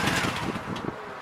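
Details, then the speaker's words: 1997 Honda VT1100CH Shadow (California version) after engine cleanout of heavy varnish, idling off side stand: light quick tinny rattle over rough idle from the loose decorative front light, its mounting nut spinning in the fixture. "Rattling up front is that stupid decorative light. I haven't figured out what to do about that."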